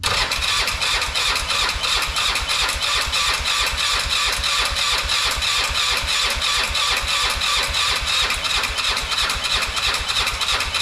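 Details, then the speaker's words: Polaris Sportsman 500 first test run after top-end rebuild: single cylinder chugs unevenly and ragged instead of idling cleanly; not getting fuel, owner checking fuel pump versus carburetor; fuel starvation, failed fuel pump. "well it appears that I'm not getting fuel into the engine whether it's through the carburetor or not"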